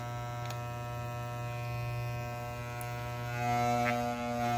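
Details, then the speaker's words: New Soling Barber Pro Chrome hair clipper, pressed with a finger on the blade: steady buzz that roughens and gets louder under load; blade tension set too high, fixed by backing off the tension until the noise stops. "Ela não está regulada, porque quando eu coloco o dedo aqui, ó, ela faz barulho."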